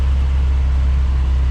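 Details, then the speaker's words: 1979 Ford F100, 300 straight six, Holley 390 4-barrel, dual port intake, header, dual exhaust, about 50 miles after revival from 1992: deep, even rumble, no misses or knocks; idle still needs adjusting, runs great. "Still have to adjust the idle a little bit. But besides that, it's running great. Sounds really cool. Sounds like a bunch of bees when you get on it."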